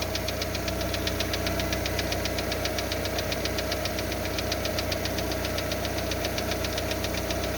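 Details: Lada Largus with 1.6 16-valve VAZ 129 engine, about 3 minutes after cold start: sharp, rapid, even ticking over a raspy idle, loud partly from a torn exhaust flex pipe; knock persists after hydraulic lifter replacement, fading as it warms, quiet when hot.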